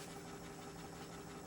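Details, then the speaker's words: Hegner scroll saw after replacing the worn cam link that caused a rattle: soft motor hum and a faint, even tick from the blade arm, with no knocking; runs quietly and smoothly. "and uh when I switch it on uh it's as silent as can be. See there is no no sound apart from the motor and a"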